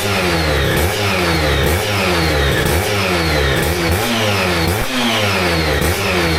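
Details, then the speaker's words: Aprilia RS125 1990s two-stroke on temporary battery after coolant leak repair, with new air filter and modified airbox: crisp blips rise and fall cleanly, no misfire, rattle or hesitation; idles and revs healthily. "As you can hopefully hear, sounding and running absolutely sweet."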